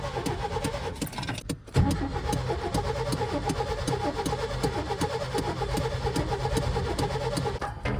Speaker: Well, the previous owner told me that he just would only have backfires and it just was not trying to start at all. And it ended up being the distributor.